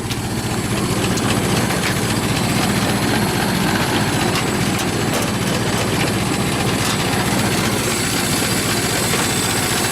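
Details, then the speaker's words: Ford Model T four-cylinder after cold start, idling at minimum throttle with spark about half retarded: even chuffing beat of roughly four pulses a second, steady with no misses or knocks; healthy idle. "okay that's running at um that's currently running at um minimum that's idling but it's uh about half spark now"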